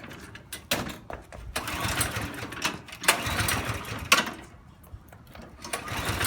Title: Misfiring snowblower